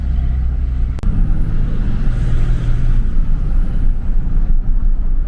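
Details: 2003–2007 3rd-gen Dodge Cummins 5.9 diesel with Holset turbo, after the factory intake tube and muffler were replaced with a Cool Hose intake hose, revved under load. Diesel rumble with a thin whistle climbing as the turbo spools and falling away; it seems to spool up and down faster and sounds louder. Normal turbo spool whistle.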